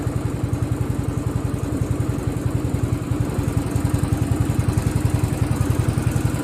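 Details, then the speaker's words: Craftsman riding mower (part 917.273760) after carb and fuel fix, run without the filter; steady even thump with no surging: normal running, surging attributed to fuel starvation. "So my fingers are crossed. Woo! That sounds a lot better. Well, how about that?"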